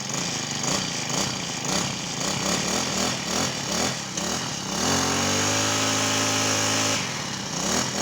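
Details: Honda GX35 four-stroke brush cutter with a hard cold-start complaint, cold and started without choke: pulses cleanly at part throttle, rises to a steady even high rev and drops back, no smoke; normal revving.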